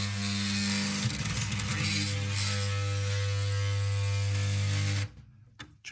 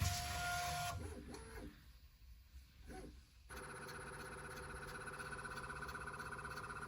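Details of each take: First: Bambu Lab P1P 3D printer toolhead trying to home: loud low buzzing drone with rough stuttering grind, then cuts out; faulty stepper motor, exact motor not yet identified. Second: Bambu Lab P1P 3D printer after stepper motor replacement for a grinding noise, first power-up: stepper motors hum in steady, clean tones with no grinding; normal homing sequence.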